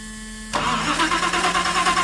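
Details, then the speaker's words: Jan's Stewart Mustang replica warbird, 540 big-block, no prop fitted yet, in flight attitude for fuel feed: faint hum, then the engine catches at once into an even, rapid pulsing run with no leaks; clean start, timing adjustments possibly needed. "good runs pretty good and apparently no leaks out there"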